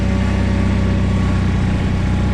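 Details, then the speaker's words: John Deere 317 garden tractor after reassembly, PTO engaged and tested: the small engine settles into an even, steady low burble with no misses or knocks; it runs clean and healthy. "engine's got a nice little burble to it"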